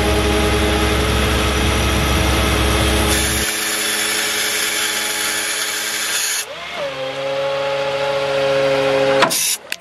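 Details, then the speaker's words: 2004 Chevy C5500 rollback, 6.6 L Duramax, PTO high idle, cold day: even pump hum that dips smoothly as the rear wheel lift extends and takes load; hydraulics a bit slow from the cold but healthy. "A little cold today, so the hydraulics are a little slower than normal. You can see the rear wheel lift works just fine."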